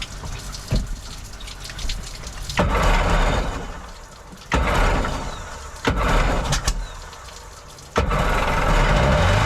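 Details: Jet boat's second two-stroke, after freeing a stuck choke: short uneven surges sagging between, won't hold idle, top-end bog; owner thinks carbs need rebuilding, unlike the smooth-running other engine.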